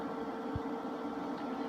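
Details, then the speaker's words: Harbor Freight Vulcan 140 MIGMAX welder, a Miller-style design, powered on: after a second's delay one cooling fan starts, then the second, giving a steady, even whir and low hum with no rubbing or rattle; normal fan operation. "Power's over here. It takes a second to turn on. And you hear one fan, and you hear the second fan turn"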